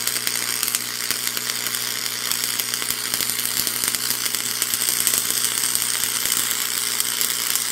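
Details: Free roadside Lincoln tombstone arc welder on first test with new stinger, makeshift ground clamp, 6011 rod at about 135 A: steady crackling sizzle with faint transformer hum, even clean arc throughout.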